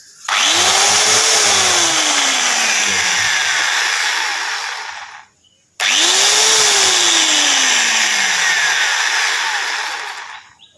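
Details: Angle grinder running with no load after front 62001 bearing replaced (gears undamaged) to cure abnormal noise: spins up to a steady high whir twice, winding down each time.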